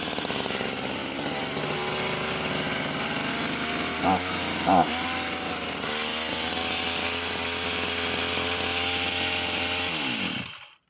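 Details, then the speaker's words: Vintage Husqvarna 44 chainsaw, just un-seized, with a gasket kit fitted and the high-end needle out slightly: a ragged, uneven buzz with brief flares and no top-end power. Running lean; the owner suspects it needs a replacement carburetor. "So you can hear her there, and she's running completely lean and nothing on the top end once the high end needle coming out slightly."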